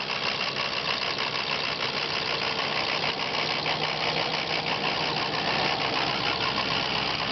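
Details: Diesel at idle with an uneven, hunting clatter: crazy rough idle caused by a bad ICP (injection control pressure) sensor.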